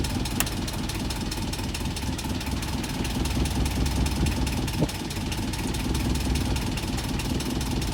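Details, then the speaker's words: Boat diesel after bleeding the fuel system, exhaust water flowing: slightly uneven idle with a faint wavering beat before stalling; air drawn into the fuel supply line, owner to bleed again. "well i'm sad to report that the engine still stalls out i'm gonna bleed it again try it again in case we missed something"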